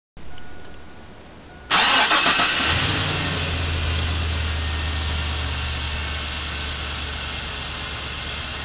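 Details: 1999 GMC Sierra SLE V8 with 175,400 miles, cold start at about 40°F after two days sitting: a hollow knock/piston slap under a rough idle. It is worse in drive with throttle and fades within a minute of idling.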